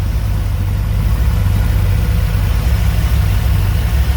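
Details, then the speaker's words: 1985 Dodge D150 with 408 stroker small-block Mopar (360-based, roller cam, Edelbrock Air-Gap, Holley 850 carb), first startup, warm at steady 180°, idling solid 700 rpm untuned: deep, even rumble with no misses, knocks or ticks; normal. "but she's running smooth let's get that temperature again at temperature holds nice and steady at 180."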